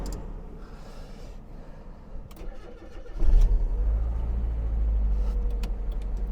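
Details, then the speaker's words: Restored Mazda MX-5 on its first drive, cold frosty morning: cranks, catches, then idles with an uneven, lumpy beat that drops a pulse now and then; misfire at idle, owner suspects a poor engine earth/bonding lead, not confirmed. "now straight away it does have a misfire but there's a few ideas I have up my sleeve as to what we can maybe do to investigate that"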